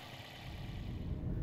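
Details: 2008 Toyota Corolla Allion 1.5L 1NZ-FE after P0172 system-too-rich repair, with short-term trim dropped to about minus 4: steady, even low idle rumble with no misses, knocks or hunting; engine sounds healthy and smooth.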